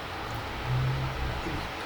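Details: Truper 750W power inverter used for home backup during outages, after maintenance to fix a fan noise: a low, steady hum with no rattle, ticking or scraping. The cooling fan now spins smoothly.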